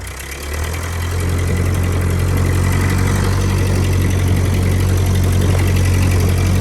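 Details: 1949 Ford 8N tractor, about 23 hp, 12-volt conversion, oil not yet changed, driving in first gear: a low, steady thrum of about four beats a second under light load, even and knock-free, running healthy.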